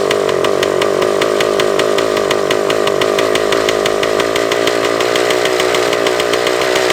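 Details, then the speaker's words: Suzuki TS400 Apache two-stroke, bolt fitted in the exhaust drain, baffle blown out: screams at steady high revs, never returning to idle, as if held open. Throttle cable found extended; they hope that was the cause. "oh the throttle cable was extended we we hope that was it"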